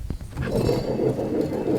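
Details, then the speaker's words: Toro Time Cutter zero-turn mower deck, blade spindle turned by hand during yearly service: a few sharp clicks then a rough, gritty rumble from worn spindle bearings needing replacement. "You know, you usually you'll find that there's some bad bearings in it. This one here, you can hear it. Sounds bad."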